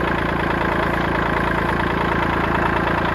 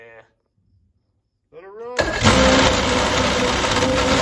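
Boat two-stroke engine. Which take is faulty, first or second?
first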